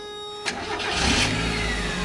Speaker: the course starts right up no lights on the dash at all and let me show you the engine it sounds super healthy I mean guys there's no ticking know like lifter tick no kind of any rod knock sounds anything like that